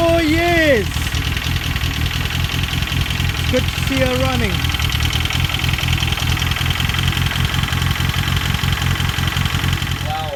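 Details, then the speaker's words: Ford Escort RS Turbo started after years sitting, on a temporary substitute fuel pump; owner had feared the engine was seized: steady, even idle with a soft regular pulse and no knock or misfire; normal idle. "i was actually thinking do you know what the engine seized but as you see it's all running driving and i'm happy"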